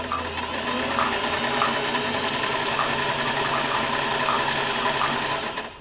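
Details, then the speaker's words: Restored vintage Singer 500A full-rotary sewing machine sewing a zigzag slowly on two layers of shirting: a smooth whir with a soft stitch tick about three or four times a second. Very quiet, healthy running with balanced tension. "Let me sew slow for you so you can hear. What a good range of speeds this machine has. Listen to it. Very quiet."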